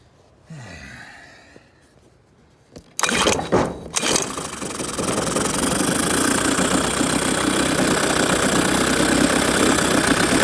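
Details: Outboard motor after carburetor refit to fix a stuck float bowl needle that caused heavy fuel leaking: a couple of pulls, then it catches and settles into a steady, even note that builds slightly; running properly.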